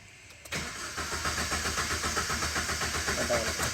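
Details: Maruti Ritz VDI diesel: steady starter cranking at about four turns a second, never catches. Crank no start, traced to a damaged connector coupler.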